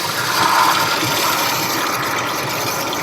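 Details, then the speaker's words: 2000 Ford Expedition 4.6 V8 running: steady gritty rushing whir that misleadingly seemed to come from elsewhere; earlier described as high-pitched squeal and slip noise, getting worse. Traced to the regular idler pulley (not the tensioner), its bearing worn. "e sound change in that pulley so that pulley that was making a noise making me think that noise was back there"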